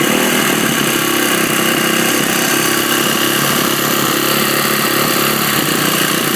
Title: YZ450f engine noise?